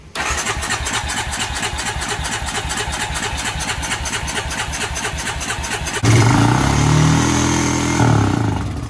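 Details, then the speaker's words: Honda Rancher 350 ATV after fresh fuel, battery and oil: starter churns about six seconds, then catches and holds a fast, raised idle; idle screw set all the way up by a previous owner. "yeah it's running really high idle so what I'm gonna do now is I'm gonna fix the idle and then once I fix the idle the bike should be perfect"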